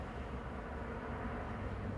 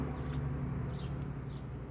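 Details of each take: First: 2011 Scion xB 2.4L after throttle body clean and idle reset, warming up: low, steady rumble around 610–620 rpm with no hunting or surging; normal idle. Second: 2011 Scion xB 2.4L at idle, about 590–610 rpm against a 650±50 spec, stored code P1605: low, slightly uneven idle sagging below 600 rpm as the cooling fan kicks in; dirty throttle body causing idle problems.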